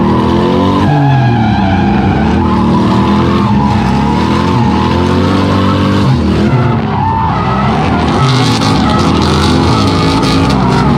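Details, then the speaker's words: BMW E36 M50B30 turbo drifting: loud engine howl with tire squeal, the note stumbling and breaking up on throttle after four or five laps. Misfire under load; owner suspects melted wiring loom shorting when warm, or an ECU setting. "and we did have a problem where at the last event we were while drifting getting a misfire after maybe four or five laps you can hear in the footage right"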